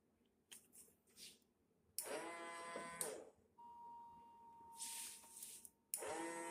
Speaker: So yeah, guys, just cleaning my floors with the Swiffer and check out this weird noise it's making.